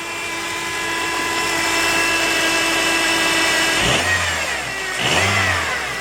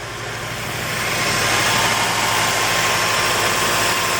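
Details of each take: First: 2006 Honda Element after engine rebuild and reinstall, faulty injector issue resolved: steady tone then two quick clean throttle blips rising and falling smoothly, no misfire or rattle; normal rev, super smooth. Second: 2006 Honda Element on its first start after an engine rebuild and reinstall: an uneven, lumpy misfiring idle that shakes the motor. The cylinder 1 coil was found partly unplugged and is the suspected cause.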